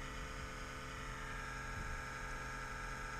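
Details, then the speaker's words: Kodiak camper exhaust fan at 37°F: quiet, steady buzzing hum with several fixed tones and no speed change. It is noisy for about a minute when below roughly 60–65°F, then normal; cause not confirmed. "the exhaust fan beans ex it's gonna make this loud racket for about one full minute it's because it's cold 37 degrees but it does this noise at 60 degrees or colder around 60 degrees"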